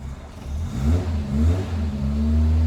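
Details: Cold four-cylinder Le Mans green Mk1 Ford Escort blips up and settles into an even rumble after its World Cup competition crossmember was replaced with a standard crossmember. No knocks or rattles. The body-shaking idle resonance is gone. Normal revving.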